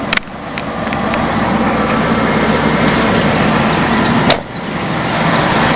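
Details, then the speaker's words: 1992 Ford Crown Victoria ex-police car, stock 4.6L V8, mileage unknown, idling after a cold start following a week of sitting. Steady, smooth low rumble with no knocks or ticks; sounds healthy. "she sounds good 4.6 L V8"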